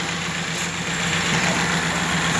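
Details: Toyota small body petrol carbureted engine idling steadily with an even low hum, no knocks or misses, after a no-start was traced to no fuel and the carburetor was primed with gasoline.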